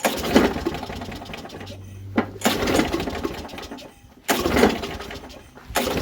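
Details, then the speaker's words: Used lawn mower engine, possibly Briggs & Stratton, cranked after spraying into the cylinder through the spark plug hole: short choppy bursts with rattling, uneven chatter and dead gaps; strange running noise, cause unclear. "It sounds kind of strange. You guys hear that, like, weird noise?"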